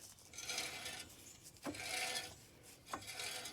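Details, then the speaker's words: Parts Jeep Wrangler YJ, long unused, axle with the wheel off, spun while parts are removed to find a grinding: harsh scraping rasp swelling once per turn. Bent brake backing plate rubbing on the rotor; the noise goes away once it is cleared. "But I'm going to be surprised if it's not the brakes."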